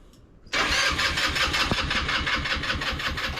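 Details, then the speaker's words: Scooter cranked on its battery with ethanol-free fuel in the tank: steady starter spin with even chuffing pulses, about four or five a second, turning over fine but never firing; cause not confirmed. "All right, we spinning over."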